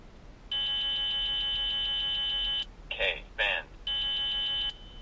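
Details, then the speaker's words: Beltronics GT-360 radar detector with AutoMute on: loud rapid high beeps at full volume for a couple of seconds, then the alert continues at a reduced volume. Radar alert with auto-mute. "audimute is going to allow us to automatically reduce the volume after a couple seconds so the detector will alert at full volume for a couple seconds and then after it gets our attention it will quiet down and reduce the volume as it continues to alert"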